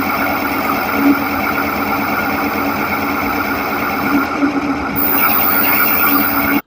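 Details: Electric scooter BLDC hub motor spinning under throttle gives a rough, gritty whir with steady buzzing hum from worn bearings; after replacing them with 2RS sealed bearings it runs smooth.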